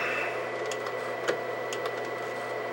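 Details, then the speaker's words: White Xbox 360, believed Jasper revision, disc drive stopped working: steady high whine over low hum with scattered clicks; drive not reading, needed a smack on top, owner suspects the drive needs a new belt. "well it was working oh that's right you got to give it a little smack on top there probably needs a new belt in the drive"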